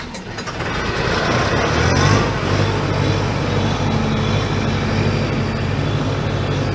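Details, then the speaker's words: ARIACOM SAX 112 diesel screw compressor (Cummins, 93 kW), started after glow preheat at −10 °C. It fires within a second and holds a steady, even low drone with no misses or knocks and no blue or black smoke; normal start and idle. "Компрессор работает ровно запускается достаточно хорошо даже достаточно низкие температуры"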